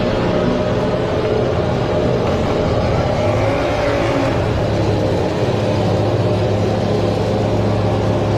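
A loud, steady, flat-out roar that never eases off or settles to an idle: the diesel is overrevving out of control.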